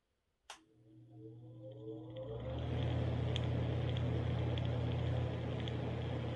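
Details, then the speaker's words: ILG Model 83 8-inch panel mount exhaust fan, new old stock, 4-pole 1550 RPM 115 V motor at full speed: steady hum with faint soft drumming throb about four a second as shaft end play knocks the end bell. "you may be able to hear a little bit of that drumming sound i'm talking about it's not crazy loud but you can hear it it's there"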